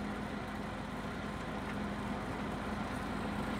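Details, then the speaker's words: TOS FO-6 mechanical gear hobbing machine (6 module, 600 mm): downward feed travel of the hobbing head engaged, dial indicator being placed to show smooth feed; quiet even low hum, no knocking or grinding. Normal feed drive. "And to show that the feed is also working smoothly, we are now putting a dial on the hobbing head."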